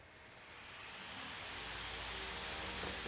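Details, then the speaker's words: Household fan after reassembly to fix a squeaky motor: spins up to a smooth, steady whoosh, nice and quiet, no squeak or rattle. "nice and quiet"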